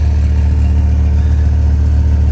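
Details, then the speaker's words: Dodge 8.0 V10 truck cold start, head gaskets done about 10,000 miles before purchase: deep, steady low rumble with even unbroken beat, no knocks or misses; smooth normal idle. "Oh yeah. This thing is just, it's such a smooth running truck."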